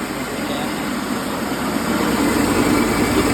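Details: Rice mill with broken rice and low power, after repair with new parts, drawing about 11 amps: a steady, even motor drone with a constant thin high whine and no knocking or labouring. Normal running after repair.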